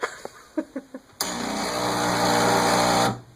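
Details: OSCAR espresso machine at power-on: a few light clicks, then a loud steady electric buzz for about two seconds that cuts off, sometimes twice; owner also notes bubbling and gurgling inside; cause unknown.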